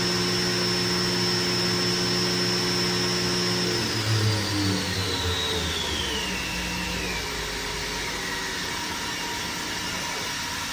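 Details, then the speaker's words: 2015 Doosan DNM 750 vertical machining center (Fanuc i-Series control, about 500 cutting hours), spindle stepped from 3,000 up to 7,000 rpm: clean high whine shifting as the speed changes, with no grinding or knocking underneath. Healthy. "I'm gonna go ahead and crank it up. Currently running about 3,000 RPMs right now. 4,000 RPMs. 45. 5,000. 6. There's 7,000."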